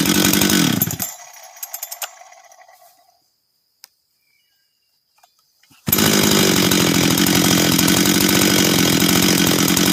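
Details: Husqvarna 385 chainsaw, first start after reassembly, first heat cycles: saw winds down and goes quiet, then restarts straight to clean high steady rev; starts and restarts easy, throttle response good — normal running.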